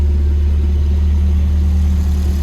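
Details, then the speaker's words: Volvo cold start after swapping orange-label 503 LH 2.0 ECU for green-label 510 LH 2.1: steady, even low idle with no lope or hunting, unlike the old cold-start lope; runs smoothly, though wrong mass airflow sensor gives some ping. "One thing I did notice is before on cold starts with the 2.0 engine or the ECU, it would kind of lope at idle until it warmed up. This doesn't do that."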